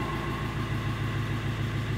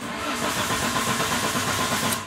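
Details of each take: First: Fiat Ducato 2.3 diesel running again after a no-start traced to the immobilizer code box/key antenna: steady, even idle with a low, regular throb and no knocks or misses; a healthy idle. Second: Fiat Ducato 2.3 diesel after front-end accident, mic near the engine: starter churns evenly with regular compression beats but never catches; tester shows zero volts at the orange wire feeding the pump's MP metering valve.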